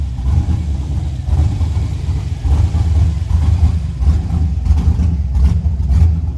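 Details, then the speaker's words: V8 truck just fitted with a new flex plate after the transmission was bound up: low lumpy idle with uneven pulses and occasional stumble; runs but still needs tuning. "Still needs tuned, but it runs"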